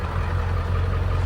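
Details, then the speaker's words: 7.3 Powerstroke diesel with single-shot injectors and good fuel pressure, white smoke and low cylinder 3 contribution. Lumpy idle that stumbles now and then and misses under light throttle, shaking the seat; dead cylinder suspected. "It's got a miss when you give it a little bit of beans. You watch that seat shaking. So she's got a miss."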